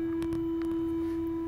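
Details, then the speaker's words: WorkBee CNC router Y-axis Teknic ClearPath servo holding still, fine-tuning set near 19 toward stiffness; constant pure mid-pitched hum as the motor strains to hold position; turning tuning down to full quietness removed the noise. "so the motors I guess it's trying to work a little harder to hold position but it's it's also making some noise right so that's not desirable"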